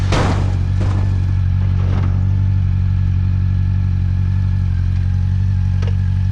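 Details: 2009 Honda CB400 V-Tec 400cc four-cylinder, about 50 hp, sat for years, fuel pump replaced; next-day warm-up before a ride; low, steady hum holding an even beat, no knocks or misses; warming up cleanly.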